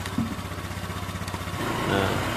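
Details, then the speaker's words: Honda Vario 125 scooter engine, freshly rebuilt, radiator cap off to check for coolant spurting: even idle pulses that pick up smoothly as the throttle is blipped lightly. No knock, tick or rattle; normal light revving. "tinggal kita coba bayar-bayar Dikit sambil kita lihat air radiator apakah terjadi muncrat atau tidak"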